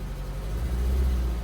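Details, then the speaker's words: Engine with a deep, uneven, chugging, shaking idle and no fault code. The misfire is unchanged after the coil pack was replaced, so that is apparently not the cause, and the misfire remains undiagnosed. "Yeah, that's still chugging. This is going to be a mystery. Yeah, still, that's as bad as it ever was."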